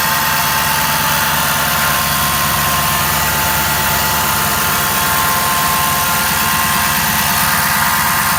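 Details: 2011 Ford F250 6.7 Powerstroke diesel, stock, ~124k miles: constant high whine above idle clatter from driver's side, starting immediately on start and varying with RPM; confirmed bad alternator; alternator whine.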